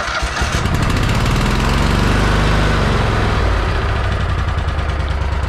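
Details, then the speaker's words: 2007 Country Clipper mower twin engine, hard to start: revs then stumbles lumpily as throttle comes down; rough running at low throttle, must start at full throttle then throttle down; cause suspected, not confirmed. "you can kind of hear a little bit of a little bit of carrying on uh with the with regards to uh to the the low end starting there you kind of have to have it at a uh uh full throttle and would and then throttle it down"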